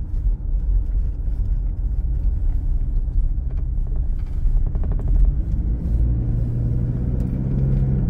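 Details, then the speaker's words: Newer Toyota SW4 while driving: light clusters of dry tapping over road rumble; the loose passenger seat belt buckle knocks against the B-pillar trim, stopped by turning or latching the buckle. "esse barulho que Vocês ouviram ali é justamente isso é a fivela do cinto de segurança batendo ali na carenagem da coluna ali da coluna B da caminhonete"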